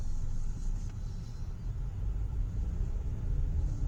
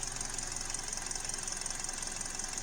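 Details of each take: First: 2012 Hyundai Elantra on a road test after a misfire repair (P0301–P0303 codes); a steady low rumble with no stumbles, running and idling smoothly, misfire counters at zero, so the misfire is fixed. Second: 2012 Hyundai Elantra with codes P0301–P0303 at quiet idle, customer says plugs are new: hiss with an uneven, stumbling beat and dropped pulses; the misfire moved to cylinder 1.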